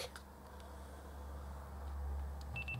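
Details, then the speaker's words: Panasonic SDR-H81 camcorder, bought faulty and not powering up, on DC input with quick start off: rotating the LCD brings a short burst of high beeps as it shuts down, as if flipped closed; LCD micro switch suspected. "camera is completely shutting down. So it thinks it's flipped closed."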